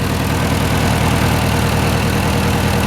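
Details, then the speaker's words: Datsun B210 idling in neutral after rusty fuel filter replaced. Settled idle with steady low exhaust pulse, no misses or rattles; much quieter than before. "oh this is so much quiet I think we can deal with that"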